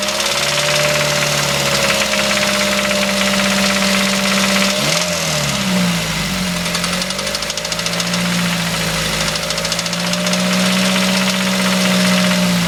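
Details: Mazda 3 idle with a quick, steady ticking rattle at 3–4 per second. It began after an oil change with engine flush and Seafoam and persists after a new timing chain, guides and tensioner; the belt tensioner and water pump checked fine. Source not found.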